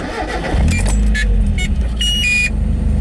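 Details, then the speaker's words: Mazda Miata petrol engine after a temporary intake-hose vacuum leak fix with duct tape and zip ties: cranks, catches and settles into a steady, even idle around 800 rpm; normal start and idle. "it does oh yeah perfect about 800 rpm awesome"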